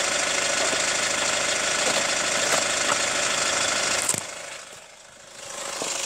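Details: Hyundai ix35 CRDi 136 hp diesel, hot, recorder on the wheel: sharp ticking knock about three per second persisting as revs change, ringier with throttle; chain damper tensioner replaced 1.5 years ago, dealer found nothing; cause unknown.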